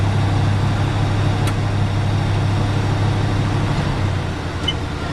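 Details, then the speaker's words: 1979 Hurst Olds with original 350 Olds V8, sitting nine years, running on old gas at idle; smooth, even low rumble with no misses, knocks or ticks; V8 running cleanly. "Runs good. Sounds good. Stinks like old gas, but it's still running on the old gas."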